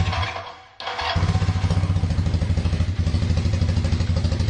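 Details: KZ440 single-carb motorcycle after pulling and cleaning the clogged carb pilot passages, with the idle raised and the air/fuel screw set one turn out, warm: fires after a brief crank and settles into an even, steady idle with both cylinders firing cleanly.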